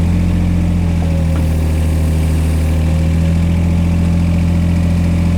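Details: Digger diesel restarted after sitting just over a week: steady low diesel drone with an even, unchanging rumble and a light rise as it is given revs; running smoothly after finally starting.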